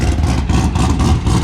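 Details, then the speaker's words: LSA V8-swapped Nissan 350Z at first start-up with its new combination: deep, lumpy idle with a steady, rhythmic cam chop, running smooth and even; it previously ran rough, which the owner attributes to blown head gaskets. "Sounds so much better now. Oh my god. Like it actually sounds how it's supposed to sound."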